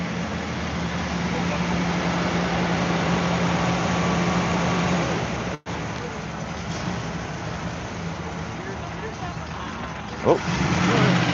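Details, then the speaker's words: 1972 Pontiac Firebird Trans Am 455 V8 at a car show: slow, low burble at idle amid crowd chatter, sagging as if about to stall; won't hold idle, cause unconfirmed. "455. Idling a little low. Sounds like it's stalling out here."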